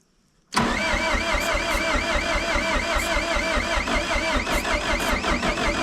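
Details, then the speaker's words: 1988 Caterpillar D4C bulldozer diesel on a new, load-tested battery, first start this year: quick crank, then it catches at once and settles into a steady, even knocking idle. Clean, normal start. "let's see do you turn over [Music] it's actually the first time starting us this year"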